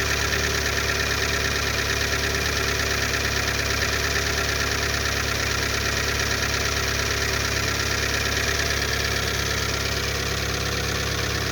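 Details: Lada Largus 1.6 16-valve 129 engine, after hydraulic lifters were replaced, at cold-start idle: a fast, fairly even light tapping, about three per second, over a hum loud from a torn exhaust flex pipe; quiet once warm; cold-start valvetrain knock.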